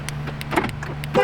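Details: 2008 Ford Edge towed in with no crank and flashing security light, only one key: after erasing and reprogramming remote transmitters with a scan tool, a short horn chirp follows the fob press, confirming the remote is accepted.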